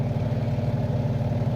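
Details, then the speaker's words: Samsung twin-tub washing machine after greasing the spin-basket shaft and tightening a screw to cure a squeal during spin: steady low hum with an even, gentle pulse and no squeal; the spin runs smoothly. "está girando bien, amigos."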